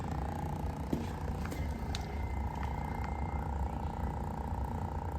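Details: Honda V45 Magna fuel pump during a pressure test, flow 6.6% under spec, pressure just under 11 psi: steady low hum with a faint even whine, no stutter or surging; healthy electric fuel pump.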